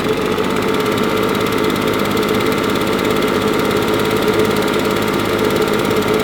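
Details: Husqvarna 350BT leaf blower, previously sputtering at full throttle, after replacing carburetor, spark plug and fuel filter: steady, even two-stroke buzz with no sputter or surging, running much better; normal running.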